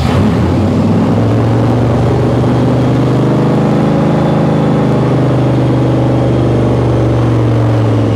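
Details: 1955 Chevy Nomad small-block with dual Holley Sniper EFI, warm at about 170 degrees and not learning. The idle pitch wanders, rising and sagging unevenly, a hunting idle; the owner suspects a ground issue after a "No data" stall, unconfirmed.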